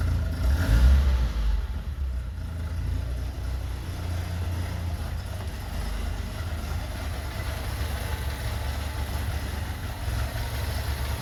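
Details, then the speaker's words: 1982 BMW 320i warming up after fuel system rework: low, uneven rumble that sags and wavers after a throttle blip, as if about to die; rough, stumbling idle, nearly stalling. "okay so when I push the gas pedal past maybe that it it wanted to"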